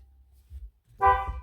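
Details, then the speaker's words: 2011 BMW E90 M3 after steering wheel upgrade: brief low rumble then loud clear two-tone honk for half a second; horn working normally. "and the horn Works holy crap that scared me"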